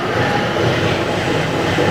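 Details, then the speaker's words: Vehicle on a lift with the wheels spun at about 50–60 mph, also heard badly inside the cab: a steady, rough grinding growl under the road drone, traced to the rear differential; it is worn. "It's coming out of this diff. Yeah. That's what we're hearing, that grinding noise."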